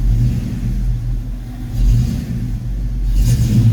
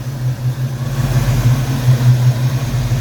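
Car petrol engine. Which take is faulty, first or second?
first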